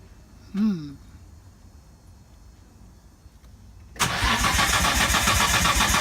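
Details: Datsun 240Z with RB20DET swap, start attempt with fuel supplied: starter turns the engine steadily for a couple of seconds with no firing; cranks but won't start, owner suspects ECU, possibly no injector pulse.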